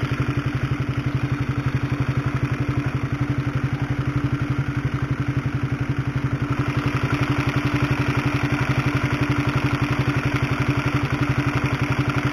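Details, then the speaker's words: Honda CB150R single-cylinder at idle, recorded with a microphone close to the engine: a steady, fast, sewing-machine clatter over the idle from a worn, stretched cam chain due for replacement with a DID chain. "Nah itulah suara dari rantai ketengnya atau rantai tensionernya Bagaimana kaya suara helikopter kan kayu mesin jahit tapi kalau digas kayak supertrees-nya H2 ya haha"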